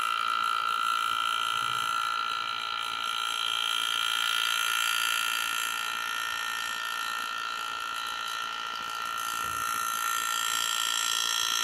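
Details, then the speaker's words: Air engraving handpiece cutting on a practice plate: even high airy whine with steady tones, no stutter or pitch sag; running smoothly, making a nice cut. "so I do what we did a nice nice cut and you can see it so yeah this works pretty nicely"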